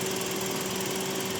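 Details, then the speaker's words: 2016 Daihatsu Xenia manual, 1300cc dual VVT-i engine, 70,000 km, first owner, dealer service record: smooth, even idle with steady light whir, no knocks or ticks; typical dual VVT-i sound, normal idle. "Untuk 1300 cc ini emang kalau mesin yang dual VVTi itu emang suaranya gini. Ini halus suaranya kayak gini"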